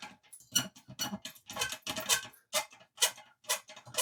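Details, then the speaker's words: Old Mamod toy steam roller, possibly 1970s–80s, not run in decades, stiff: irregular dry ticks and squeaks about two a second; owner suspects long storage. "I don't think a steam engine should be making them noises. So, I'm guessing this has been sat for donkey's years."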